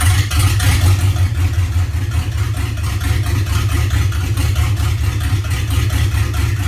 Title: LQ4 rough Idle